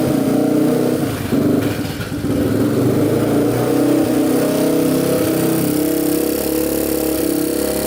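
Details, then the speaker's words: 2007 Yamaha TTR230 single-cylinder dirt bike after flywheel one-way bearing repair, carb cleaning and new intake boot, revved with choke pulled out: irregular sharp pops and cracks through the exhaust, backfiring pretty good when revved. "pull the choke out like that and then backfiring pretty good"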